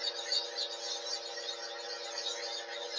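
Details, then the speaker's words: Lathe running on a cold day: a steady whirring hum with a gritty, hissy roughness that holds at constant speed; the spindle bearing is noisy again, and the owner wonders if the lathe is just cold. "you hear that bearing's quite noisy again you hear the bearing it's noisy"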